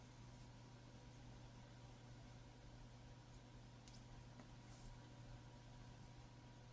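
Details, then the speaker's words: Sky ES130 set-top box showing a hard disk error, during a factory reset: quiet, steady low hum of the drive spinning with no seek clicks or chatter. The disk is powered up but never accessed. "There's no disc activity. Just spinning. So, it's powered the disc up, but there's no activity towards the disc."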